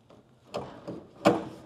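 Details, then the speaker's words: 2nd-gen Camaro door after hinge rebuild and panel alignment: hard metallic clacks as the inner door shell hits body metal before the latch engages, leaving a shiny witness mark. "It's hanging. It's hitting metal before it hits the actual latch."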